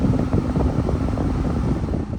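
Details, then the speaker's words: 2018 Ford Fusion 2.0 with weak vent airflow, after replacing the clogged cabin air filter, blower on high: strong steady air rush, even fan whir, no squeal or ticking; airflow restored, blower motor possibly weakened by the restriction. "it's strong now maybe the mo blow motor might be bad too since it's been clogging it and it's restricting the uh low motor from uh spinning at full speed"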